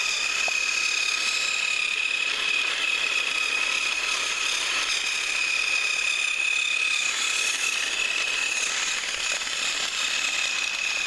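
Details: Thrift-store HiT Toys TrackMaster Percy after cleaning and motor repair, pulling two freight cars around the track: steady high-pitched motor whine with light rattling over the track, even and unbroken. Normal running.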